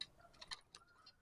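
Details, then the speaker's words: Daido Ocea SW spinning reel after about six months of use with PE line: quiet uneven dry ticking and scratching when winding; not broken parts, dry line roller bearing needing cleaning and fresh grease. "sudah dipakai sekitar 6 bulanan terasa kasar nih suaranya kasar"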